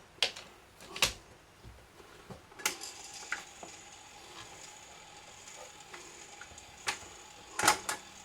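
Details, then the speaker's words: Garrard SP25 Mk4 turntable after cleaning: quiet running with irregular clicks and ratcheting clacks about every second; mechanism doesn't sound right, cause uncertain. "Yeah. Well, that sounds a bit naughty. Doesn't sound right."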